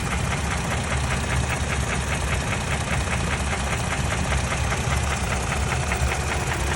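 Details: 2017 Toyota Tacoma 3rd gen, 2GR-FKS engine at idle: steady fast metallic ticking knock riding evenly over the idle, considered not normal; cause unconfirmed.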